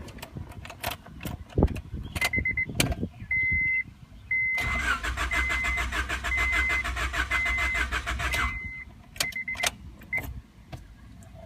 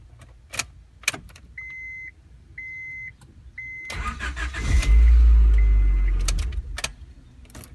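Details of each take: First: 1994 Honda Accord EX: door chime, then about four seconds of even cranking with no firing; crank no-start with no spark, injection or fuel pressure, caused by failed engine control unit, crank sensor first suspected. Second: 1994 Honda Accord EX with a crank-no-start fault (no spark, no fuel pressure) traced to a burnt ECU, started on a borrowed ECU from a B16 DOHC engine; three chimes, brief crank, then it catches cleanly and runs strongly. Normal start.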